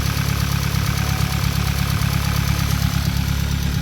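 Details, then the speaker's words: Hyundai Elantra with stock engine and big turbo, warm idle: fast even light ticking about four a second over the hum, louder once warm; owner suspects a knocking camshaft bracket holder or valvetrain damage, also an oil leak suspected from the turbo line. "When the engine gets warm up, it starts clicking a little bit more louder. Usually these engines, they click like that, they sound like that, but I'm kind of used to it, to the sound, so I already know that something is getting damaged or something is wrong."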